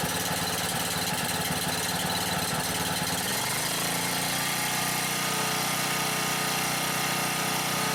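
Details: Husky 1850W generator (about 5 hp) with Mikuni T3044 carburetor that wouldn't run right after three cleanings, converted to natural gas, choke closed, gas valve opened slightly: uneven hunting putter for three seconds, then settles into a steady even drone; runs normally.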